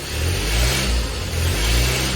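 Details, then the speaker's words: 1972 Fiat 850 Spider engine after carburetor and timing work, revved with the gas pedal: climbs and drops back smoothly on each blip, crisp and even with no stumbles; running well. "Look at that, it's running great. Let's see if it works from what the gas pedal looks like. That's not bad."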